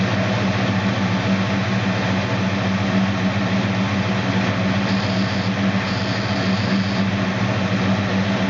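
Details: 1969 Dodge Dart Swinger 340 V8, first start after reinstalling the K-frame, engine and transmission assembly: loud, steady burble with an even low beat, no ticks, knocks or stumbles; normal idle.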